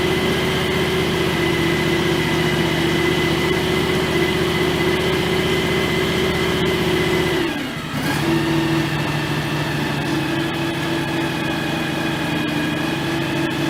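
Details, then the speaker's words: John Deere X738 riding tractor at its 50-hour service, run after checking transaxle and hydraulic oil in the shared system; steady, even engine drone with a constant tone and no whine; it runs fine, though the steering feels a little stiff. "It sounds like it runs fine. Doesn't sound like it's anything's whining or anything like that."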